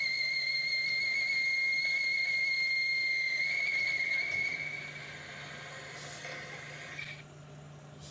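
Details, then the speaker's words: 1973 Hardinge chucker lathe boring with a boring bar: high, steady whistle with a fainter higher overtone for about four seconds, then fading; boring bar chattering in the cut. "I don't like that. Let's try. We can make that harmonic go away."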